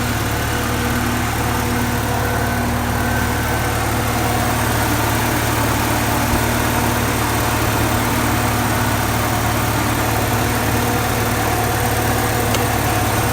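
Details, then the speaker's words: Porsche 944 after throttle body work, idle screw turned down from about 1,250 to about 1,000 rpm (stock 950–1,000): smooth, even idle with a steady hum and no misses or knocks; normal idle. "Alright guys, she's running what sounds like 1,000. It's just a little over, but that'll do."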